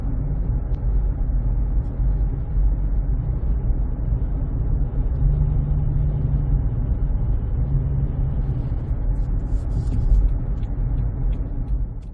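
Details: 2007 Honda CR-V cruising after cupped, flat-spotted tires were replaced with new Bridgestone Ecopia tires: a smooth, low road rumble with no rhythmic hum or wub-wub; the tire noise is gone.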